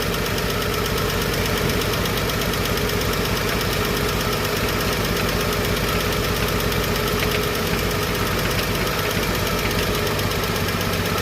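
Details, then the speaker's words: Chevrolet 235 Blue Flame six after lifter rebuild and valve lash adjustment: steady, even idle with constant rumble and no ticking or clacking from the valvetrain; smooth and healthy after repair. "It's running good, smooth, and ain't ticking and clacking."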